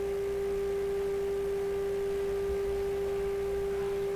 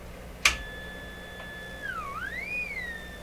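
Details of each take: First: Hammarlund SP-600 receiver during 455 kHz IF alignment: 3 kc selectivity, RF gain at maximum. A single clean steady tone over faint hum with no squeal. Receiver healthy. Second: Hammarlund SP-600 during 455 kHz IF alignment with the BFO switched on and an unmodulated carrier. A steady high whistle slides as it's tuned; the BFO is far off zero beat and L44 needs adjustment.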